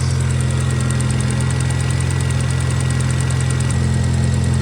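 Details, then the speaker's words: BMW E92 335i idling for O2 sensor code checks; a thin, high buzz comes and goes, traced to the diaphragm, owner wonders if it builds up pressure; fuel tank vent valve diaphragm noise. "It's coming from that diaphragm. Now it's gone. I wonder if it has to build up pressure."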